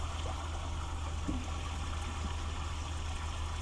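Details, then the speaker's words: Fresh water pump on a 2000 Sea Ray 34' boat, troubleshooting intermittent low pressure, drawing from the onboard tank (not city water) at a faucet. Steady low pump hum under an even, unbroken stream, no cycling or sputtering; pressure good enough for dishes or showering. "it looks pretty good i mean that's good enough good enough to wash my hands with do the dishes or even take a shower"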